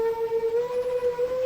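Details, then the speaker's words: Seven-inch FPV quadcopter, DVR audio before a crash: a clear high whistle comes in at certain motor RPM ranges over the prop noise. Not thought to be a loose prop, which would squeak. Cause unconfirmed. "and what I'm specifically noticing is that whistling sound comes in at certain RPM ranges"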